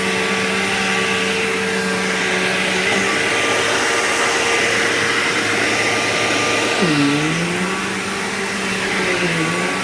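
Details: Bissell PowerGlide Platinum 3545-2 upright vacuum, acquired around 2018, running: a steady motor roar with a thin whining tone that wavers and swoops in pitch like a wah. Owner calls it bizarre and does not know its cause.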